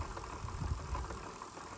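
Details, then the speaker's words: Rear hub motor e-bike after riding real mountain trails: low, uneven rattling rumble as the hub spins, from magnets inside the hub dislodged and loose; needs a rebuild. "the magnets that go around the Hub on this motor got dislodged so they're loose that's what causing that noise that's what that rattling is"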